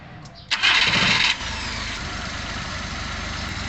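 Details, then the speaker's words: Suzuki Scrum F6A carbureted engine with hard starting, high rpm and hesitation on acceleration; after setting the throttle valve opening to about 15-20 degrees it starts quickly and settles into a steady, relaxed idle with no hunting; normal idle. "So ngayon po mga kaal narinig naman natin na ang under ng makina ngayon ay relax na y relax na"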